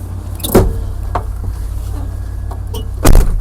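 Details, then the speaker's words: Chevy OBS manual truck that sat about 1.5–2 years, first start: low, even idle rumble with a few door and handling clunks; good oil pressure, runs well, power steering pump out. "She looks like she got good oil pressures. Man, she sounds good."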